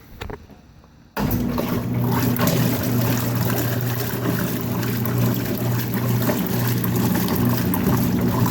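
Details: Vintage Whirlpool washing machine, first fill from garden hose, leaking slightly, with soap: switches on, settles into steady low churning hum with water sloshing, even rhythm; agitating normally.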